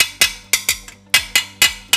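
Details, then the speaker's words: Honda BeAT 2020 with eSAF frame, tapped by hand with body panels removed: sharp metallic taps ringing hollow and tinny with no solid thud, unlike the solid sound of a 2015 non-eSAF BeAT; suggesting rusted-thin steel inside the frame. "Kopong banget. Siang bawa haak dokdok bawa hate. Cukup nyaring"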